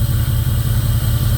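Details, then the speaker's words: 2002 Jeep Grand Cherokee 4.7 HO with melting-coil problem: lumpy idle with periodic dropouts, running on seven cylinders after a coil was unplugged and plugged back in. A restart restores all eight; cause of the misfire unconfirmed. "unplugging that coil has no change to the motor. She's still running on seven cylinders."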